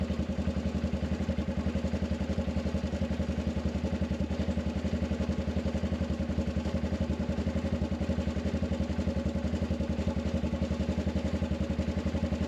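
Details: Arctic Cat 500 ATV near 0°F. Earlier the starter only clicked, and its battery tested bad (34% health, about 200 CCA). Here it runs with a steady, even single-cylinder idle of about four pulses per second, no misses or knocks.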